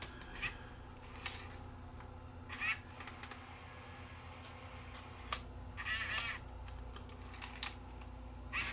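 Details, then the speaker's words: Sony TCD-D7 DAT Walkman after freeing the mechanism: bursts of small clicks and whirs every second or two as the tape repeatedly loads and unloads but never plays. "uh I I can hear it loading and unloading but it doesn't uh it's not playing so something's working"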